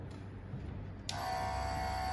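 Low room hum, then a steady electric buzz switches on: a nebulizer compressor running normally.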